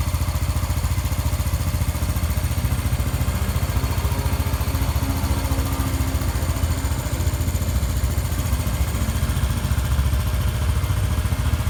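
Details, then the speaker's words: Honda Biz 125 single after rebuild for connecting rod play that caused a strange noise: steady, even low putter at idle, about 3.5 beats a second, quiet with no knocking; running normally after repair. "se você viu anteriormente aí no começo do vídeo como estava E como tá agora bem caladinho de acelerar funcionamento perfeitamente sem bater nada"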